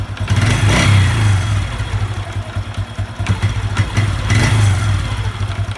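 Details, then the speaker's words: Honda Revo 110 (old Revo "jangkrik"): revs rise and fall, and a loose clatter appears as the throttle snaps shut after revving, intermittent; owner unsure whether clutch or loose primary. "kadang bunyi kadang ndak Ini apanya ini kalau es kopling apa laut primer yang kendor kita belum tahu ya"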